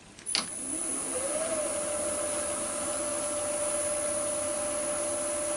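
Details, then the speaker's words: New Axminster 1628VS woodturning lathe switched on: a soft hum rises smoothly over about a second as the soft start works, then settles to a steady, very quiet tone at about 950–1000 rpm. "That's going at, there you go, nearly 1000 revs, 952, 951. That's quiet, isn't it? That's really quiet."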